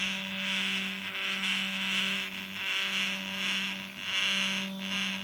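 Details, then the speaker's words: Truma SE R caravan mover bought as spares or repair, test before repair: steady low motor hum under a loud high whine swelling and fading; one drive unit noisy but working, cause not investigated. "This one's a bit noisy, but I can bear with that. I'm not stripping it down for a bit of noise."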